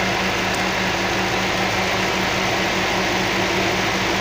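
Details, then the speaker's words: Toyota 3UZ-FE V8 at warm idle after gas (LPG) running burned valves, three valves replaced and both heads fully rebuilt: steady, even idle, smooth low hum under loud radiator fan rush, no knocks or stumbles; normal idle. "Вот так должна V8 работать. Никак по-другому."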